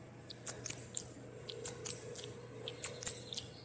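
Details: General Electric gas clothes dryer, running empty, gives high chirpy squeaks about three a second over a low motor hum, louder when loaded with clothes. The drum rubs on worn front glides, and the drum is shifting to the left.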